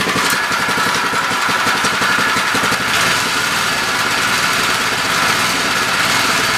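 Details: MTD edger with Briggs and Stratton engine, after bending the throttle spring for more tension and retuning: small single-cylinder runs at a steady, even fast buzz with no hunting or misfire, running properly.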